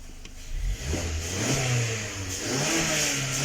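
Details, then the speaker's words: 2019 Mazda 6 GDI engine, after fuel injectors were replaced for a P0300 random misfire, about 10 minutes running. Revs pick up cleanly and hold smooth with no stumbling; only a negligible cylinder 1 misfire count remains, maybe from old plugs or deposits. "فالآن عندي ما شاء الله تبارك الله حدود الآن 10 دقائق السيارة شغالة، ما عندي مس فاير إلا في سرندل رقم 1 وشيء بسيط يعني يعتبر رقم 1 شيء لا يذكر،"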